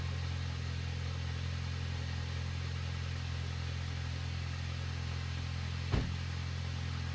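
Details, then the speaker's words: VW Passat after replacing a cracked intake manifold: steady, even low idle with a smooth hum, no rattles on startup, no knocking, no faults; normal idle. "Finally, it works the way it should. No rattles on startup, no knocking, no faults."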